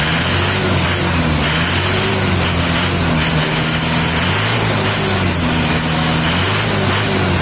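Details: Panther diesel, cold morning, after valve clearance adjustment that cured a harsh rattling "trak tok" when revved: revs up and settles smoothly with even rumble, no tapping clatter; valvetrain healthy.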